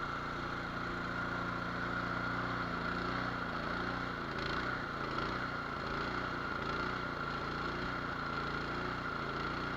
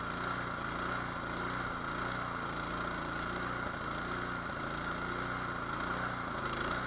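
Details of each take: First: Nearly new, unused Cub Cadet 824 two-stage snow blower, 208cc, brought in as a no-start, started on choke: uneven hunting idle that never settles. Surging from a clogged idle jet, to be cleaned or drilled out. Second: Nearly new Cub Cadet 24-inch two-stage snow blower with 208cc single-cylinder engine, previously no-start, started on choke: settles into a steady, even patter with no surging or stumbling, running normally.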